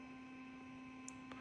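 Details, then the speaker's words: 1973 Pontiac Firebird fitted with Dapper Lighting OE7 LED headlights, with the light on: a faint, steady electric hum at a fixed tone, like an electric car fan, from the headlight's cooling fan. "and you can probably hear it humming from here now as it's pulled up and sounds like an electric car fan going"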